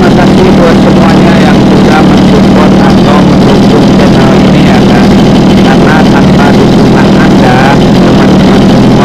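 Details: Mini water-pump engine, two-stroke on premixed gasoline, runs with a loud, steady buzz at constant speed, no misses or surging, after repair; it had been hard-starting and racing from fuel starvation.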